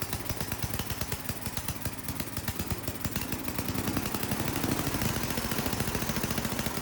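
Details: Ariens snowblower sat years in barn, after fitting a temporary fuel line: small single-cylinder engine steady even chugging, no misses, surging or hunting; runs like a champ, normal running.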